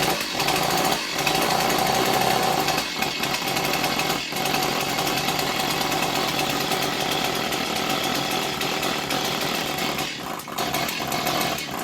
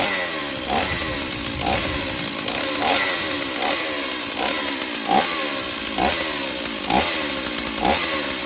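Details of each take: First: Stihl 028 Wood Boss chainsaw that hadn't run in a long time; rough uneven buzz that stumbles and surges as the choke flap flutters open and closed rapidly, starving the intake of air. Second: Stihl 028 Wood Boss chainsaw after replacing a cracked pulse line, air filter off: steady high two-stroke buzz with throttle blips that clean up at once; runs fine but weak, needs tuning and servicing.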